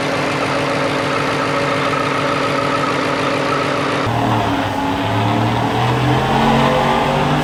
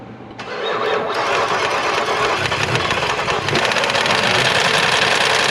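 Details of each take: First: 2022 Ford F-150 5.0L V8, Whipple supercharged, freshly replaced engine with long tube headers and stock cat-back exhaust: steady deep exhaust note, clean rise and fall in revs, no knock or rattle; runs and drives well, no codes. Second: 2022 Ford F-150 5.0L V8 with Whipple supercharger: cranks, catches, then runs rough with uneven clattering knock about three to four hits a second; no oil pressure though oil present, check engine light on; suspected hole in block or failed oil pump.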